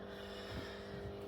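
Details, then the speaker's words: Thorn fitting with a Philips pink T12 fluorescent tube: a quiet, steady low mains buzz. A ballast has buzzed twice with this tube; unsure whether the tube or the ballast is at fault. "le tube pink voilà fait du bruit ça fait déjà deux fois que un Balas fait du bruit avec ce tube"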